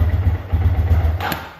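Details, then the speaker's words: Wilderness ATV, single-cylinder, just revived after carburetor ethanol damage, with a slight backfire. It putters slowly with soft low thumps, idling noticeably low and loping; low idle speed. "Eventually, I was gonna say it's running pretty darn low."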